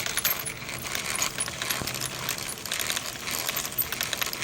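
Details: Redcat Dunerunner V3 4WD RC truck after bashing: uneven metallic crunching and clicking as the rear wheel is spun faster by hand; grinding from gritty gears, likely worn or damaged in the rear differential.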